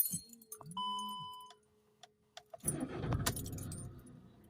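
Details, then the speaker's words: Van with a completely dead battery, jump-started with a Topdon Jump Surge 2000 pack clipped to the jump points, voltage back up to 12.2 V; a short crank catches almost at once into a steady diesel idle; an easy, normal start. "yes that was quite easy as well actually that was quite an easy start there"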